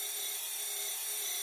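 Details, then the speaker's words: Small hydraulic pump on an RC Hidromek excavator, just started: harsh raspy hiss with a thin whine and air bubbles entering; there is oil in the tank, but at times not enough for the pump to suck, causing cavitation. "that's because there is oil in the tank but every now and then there isn't enough for the pump to suck and hence you're getting this phenomenon coming in"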